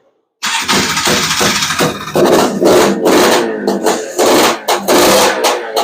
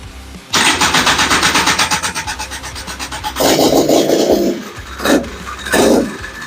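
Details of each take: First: Honda Odyssey FL350 with Lectron Billetron 38 mm long-body carburetor, cold start on choke during tuning: ragged surging bursts that stumble and never settle into idle; metering rod to be adjusted; lean running from mistuned carburetor. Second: Single-cylinder engine with Lectron Billetron 38mm long-body carburetor, retuned after a super-lean condition from turning the metering rod the wrong way: catches quickly without choke, settles into fast even beat with throttle blips; normal start.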